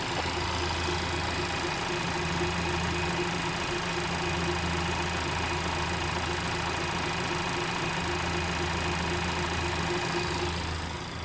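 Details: Honda Civic FK8 engine idling: thin constant high-pitched whine over the low hum.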